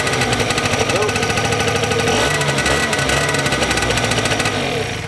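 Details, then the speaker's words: 50cc two-stroke scooter that wouldn't start after sitting two weeks, now fixed and started after a further week sitting: fires up, settles into fast, even buzzing putter without stumbles, then shuts off; owner suspects stale gas or line clog was cause. "so the scooter works just fine now it's sat around I did ride it for about an hour that day it sat around for about a week now and still totally fine"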